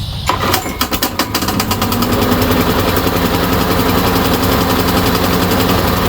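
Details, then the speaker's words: Briggs & Stratton push mower on a Yard Machine, compression 60 psi, after valve cover gasket replacement; fires first pull but runs rough with lumpy misfiring beats, then won't restart; cause found to be a sheared flywheel key. "It started first pull, but it really didn't sound right, and it never started after that. Come to find out, it had a sheared flywheel key."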